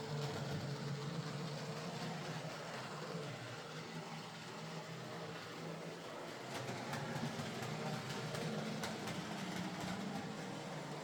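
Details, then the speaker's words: Model locomotive, split chassis, after reassembly with a new motor (axles previously replaced): an uneven rattly whirr with irregular clunks a few times a second, runs okay but clunky and noisy, possibly typical of split-chassis design and this motor. "Uh, the locomotive now runs okay, but it's a bit clunky and noisy at times, as uh some split chassis models tend to be, particularly with this motor."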